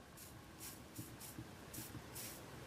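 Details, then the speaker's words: 2004 Volvo car amplifier that caught fire after being submerged in water while running, powered up on the bench: quiet crackling sizzle in irregular bursts with hissy spits, from arcing where the circuit board has shorted internally. "you can actually see bubbling from where it's obviously shorted internally, and it's arcing inside the board."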